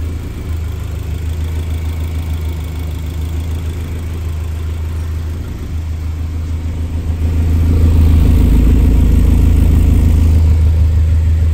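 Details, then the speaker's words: Toyota MR2 Spyder (ZZW30) with swapped K20A, PPE header and a newly built exhaust, welds leak-free, running about 13 AFR (slightly rich): steady deep idle with a strong even exhaust note rising slightly then settling; normal idle. "running on AFR 13 a bit Rich to make it run nicely so let's see what it actually sounds like"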